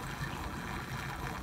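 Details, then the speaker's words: Fluval FX5 canister filter with a surface skimmer mod on the intake hose, which is 5/8-inch against the filter's 1-inch. Strong suction draws air into the canister, giving a constant gurgling and bubbling that risks burning up the motor. "So the FX5 has such a strong suction that it's putting air in the canister, and while that will take care of the surface for me, I'm gonna burn up my motor. If I'm not careful, you can hear it down here gurgling."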